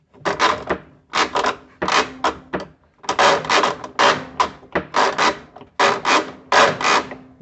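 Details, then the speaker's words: Kenmore Series 500 washer, underside, belt removed: rough scraping grind in bursts about every second with each agitate stroke; drive pulley worn out and chewed cover, fix is pulley clutch kit. "uh it has been chewed up by the belt and the belt i've taken the belt off but the reason is is that the pulley has worn completely out some of the noise that i was getting was this sound right here"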